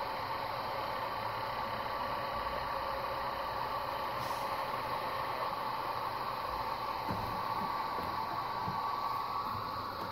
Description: Marq Gesture Wash 102 lights have noisy fans, here is how I replaced the sleeve bearing fans with quieter, longer lasting dual ball bearing fans.